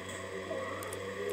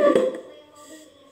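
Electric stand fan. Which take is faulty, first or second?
second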